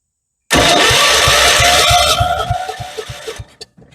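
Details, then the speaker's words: 1976 Vermeer LS200 log splitter, Kohler K301 12hp single-cylinder, compression gauge in plug hole after starting fluid: slow even cranking pulses, about two a second, fading. Reads at least 90, considered not too bad; checked for a sticking valve. "compression I see at least 90 [Applause] and for an engine that I just put some starting fluid in which usually washes on the Rings I don't think that's too bad"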